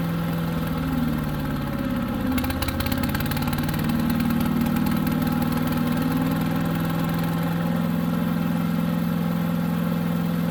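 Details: New Harbor Freight Predator 212 chipper shredder after about 10 minutes' running on fresh oil: steady, slightly lumpy single-cylinder run only with choke about three-quarters on; engine runs only on choke, fuel starvation suspected, unconfirmed.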